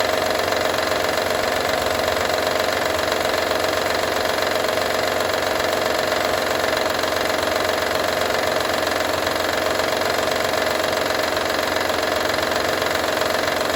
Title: Honda Odyssey 2012 - rattle sound